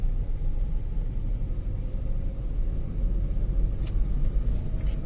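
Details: Tata Altroz petrol driving after its third service (oil and air filter changed): steady low engine drone at moderate revs, smooth and even, no knocks or rattles; engine sounds smoother than before.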